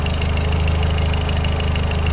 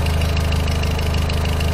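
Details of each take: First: VW Voyage G5 1.6 idling after lambda sensor replacement: steady even idle with smooth low hum, only light hydraulic tappet ticking, no shaking; acceleration improved, engine healthy. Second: VW Voyage G5 1.6 at idle after replacing the NTK lambda sensor: quick, even light ticking over a steady idle, hydraulic lifter (tappet) noise; the earlier shaking is gone and acceleration improved.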